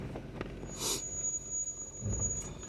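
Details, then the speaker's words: Stock 2020 Jeep Wrangler Willys descending an off-road trail in low range on automatic hill descent control; a thin, steady high-pitched brake squeal over low rumble, though the brakes were recently inspected and are not worn. "You can hear the squealing of the brakes. I guarantee you they're not low. I just had this thing inspected."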